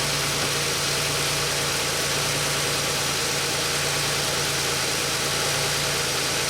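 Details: 2003 Pontiac Grand Am GT coupe, cranking voltage 11.16 V: even, steady idle hum with no knocks or misses under background hiss; the engine sounds healthy.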